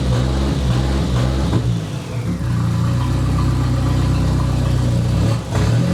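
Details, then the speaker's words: "!200" engine with catalytic converter removed and coils being swapped, now running worse: throttle blips give an uneven, stumbling note that sags and recovers instead of climbing cleanly. Acts fuel-starved yet fuel pressure is about 38 psi. Cause not pinned down. "I would swear it's running out of fuel but it's sitting at 38p a die"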